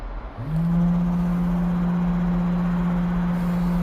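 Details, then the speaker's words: Webasto Thermo Pro 90 coolant pump on a Demag AC220 crane, component test after heater swap: starts and settles into steady low hum with rough edge; pump cavitating from trapped air in the coolant. "But, there was a lot of air as well, so that's why it was a bit noisy. The pump was sort of cavitating a little, so I've just"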